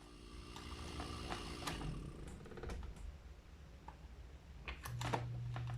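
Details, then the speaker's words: Refrigerator compressor unplugged after running about 2 minutes and immediately replugged during a PTC relay demo; scattered clicks then steady low hum, compressor locked and won't start, current rises high. "Uy. Ayaw mag-start. At umuugong lang siya. Ayaw mag-start. High ampere po."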